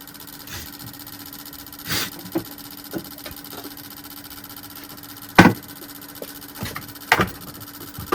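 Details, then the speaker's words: More powerful ultrasonic cleaner for stubborn carbon deposits on Mercury 2.5L EFI outboard injectors (hot-soak no-start): steady low hum with a few sharp pops and clicks as bubbles burst; normal operation. "This one they uh transmitters are much more powerful. It sonic wave than this one does. They will clean clean more uh more efficiently for the stubborn carbon deposits."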